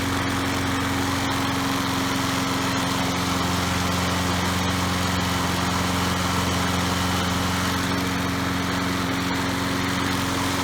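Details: Troy-Bilt 3-in-1 self-propelled mower with a Briggs & Stratton 675 series 190cc engine, after a kill switch fix and new plug: steady, even single-cylinder drone at constant speed with no misses or surging; running normally.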